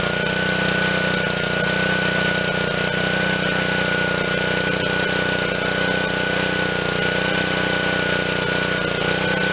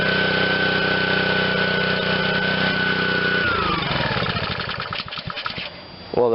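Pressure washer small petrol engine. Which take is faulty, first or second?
second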